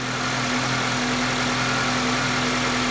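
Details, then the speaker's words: 2006 Honda CR-V engine running with the accessory drive belt removed: steady, even, smooth idle with a low hum and no squeal, knock or rattle; engine internals sound healthy, so the bogging noise comes from belt-driven accessories. "That engine runs nice and smooth. So my problem is something on the outside, not the inside. That runs good."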